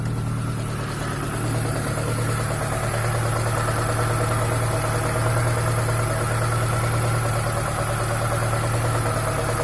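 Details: ZAZ Chance 1.3 at idle: steady hum with a faint regular tapping about three per second, an engine knock of unknown cause.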